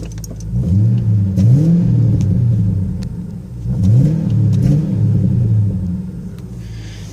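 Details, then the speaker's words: Cold engine with glass-pack exhaust, noisy fuel injectors, warming up: rising and falling revs with sharp pops between blips. Cold-engine exhaust backfire, expected to ease once the glass pack warms on the highway. "it's backfiring on the D cell camera phone can probably hear that [Music] backfires pops a little bit but I'm sure when that glass pack gets nice and warm from driving on the highway for a little bit sound would definitely come out a little more"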